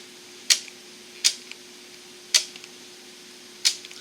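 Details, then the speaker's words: Märklin turnout motor with digital decoder set to address 105, switched from a Mobile Station 2: sharp single solenoid snaps at irregular intervals over quiet room hum, red turning, green straight; turnout motor switching normally. "If I hit listen for it to change. Red means it will turn off. Green means it'll go straight."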